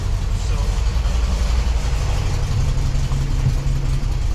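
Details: VW Super Beetle flat-four, warmed up: deep even idle rumble holding steady without surging or dying; it has sometimes failed to idle on its own since the generator was changed.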